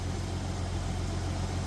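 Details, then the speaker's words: Jeep Cherokee 4.0L at 345,000 miles, after used pistons replaced a cracked, slapping piston: a low, steady, quiet idle with no clatter or knock, the fuel injectors audible. Not very smooth but healthy. "I don't think I've ever heard it idle that quiet. It's It's not very smooth, but it's quiet."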